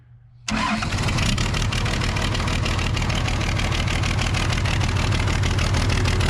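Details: Case 855D loader, 12-valve 5.9L Cummins diesel, with fuel bubbling at the injector: catches after a short crank and settles into a steady, even diesel clatter at idle with no misses.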